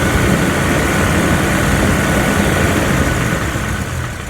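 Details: Jeep Wrangler TJ engine being revved, fast regular ticking under the roar that fades at higher rpm; heard via stethoscope at the bell housing, flexplate suspected but not confirmed.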